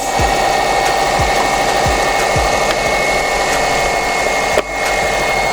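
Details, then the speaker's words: Subaru Baja Turbo first start on the rebuilt engine, cold, coming up to temperature while coolant is bled, heater on, no check-engine light: loud, steady idle with a smooth even beat, no ticking or knocking; engine sounds healthy. "It sounds great. Heater's on. And we're just gonna bleed the coolant and listen to it."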